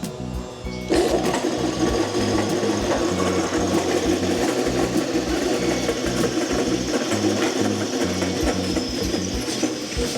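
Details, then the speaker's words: Atlas Copco AT B5-140 piston air compressor pump (5.5 hp, 4 kW) test-run at the workshop, giving a loose, busy clatter. The rear bearing is broken, so the pulley shaft wobbles heavily. The pump head is dismantled afterwards. "รับไม่ได้ติดอะไรนะครับแต่ก็มีเสียงดังที่ตัวลูกปืนหลังนะครับมันแปลกเดี๋เราก็มารื้อหัวกันดูนะครับ"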